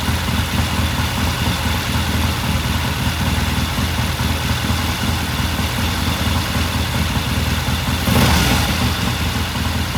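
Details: 1969 Triumph TR6 vintage British motorcycle, pilot jet cleaned and pilot air screw turned in half a turn for a richer starting circuit; warmed up after a cold start, the twin settles into a steady even idle with one brief flare near the end: normal warm idle.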